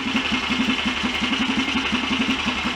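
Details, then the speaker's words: BSA DBD34 Gold Star 500 scrambler, high compression single: steady even tickover, no scraping or rubbing; normal idle. "That steadied the tick over a bit. Maybe I can screw it down a touch on the throttle stop."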